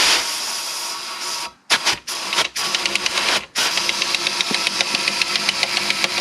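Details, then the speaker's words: 2004 Suzuki DRZ400 engine opened up after flushing milky oil: air blown through spins only the oil pump and its drive gear, hissing then steady light ticks four to five a second; knock first thought wrist pin, traced to missing gear tooth. "you hear that that sounds like the knocking that we were hearing thinking that it was the wrist pin but i'm thinking it's either the oil pump or this gear because the only thing that's spinning right now is the oil pump and that gear"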